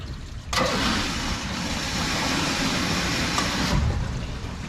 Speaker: we can tell we can hear that audible thump right we can hear that water hammer coming back and hitting the backs side of this check